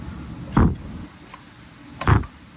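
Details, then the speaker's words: Briggs & Stratton 130G32 engine during reassembly, flywheel turned by hand before the blower housing is fitted; airy whoosh as the piston pushes air out and draws it back in, showing good suction; normal compression hiss. "that just shows how much suction we got in there. You can hear it pushing the air out and sucking it in."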